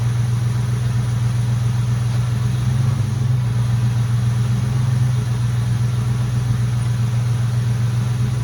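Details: Mustang GT at idle after air was bled from the power steering (pump also runs the Hydro Boost brakes): a smooth, even idle with steady firing; the pump whine is basically gone. Normal idle.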